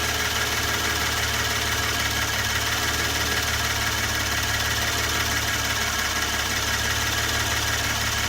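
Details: 2016 Hyundai Genesis Coupe 3.8 L, during scope testing of injector and crank/cam signals (accident and flood auction car, or an identical reference car): smooth, even idle with a steady low hum, no knocks or misses; it runs cleanly.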